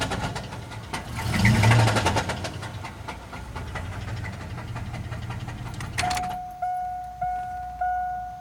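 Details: 1998 GMC Jimmy 4.3 Vortec V6 starting and settling into a deep, steady rod knock that keeps time with the revs, door chime sounding; the engine was later replaced with another 4.3.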